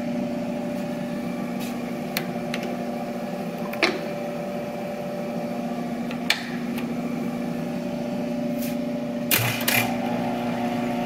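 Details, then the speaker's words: Monarch 10EE lathe after refurb, feed gearbox in threading gear while isolating a noise: steady even gear hum with only faint handling clicks; this section pretty quiet, owner eliminating gears to find the bad one. "so i probably through the process of elimination can figure out where i'm gonna find a bad um bad gear because it's pretty quiet right there"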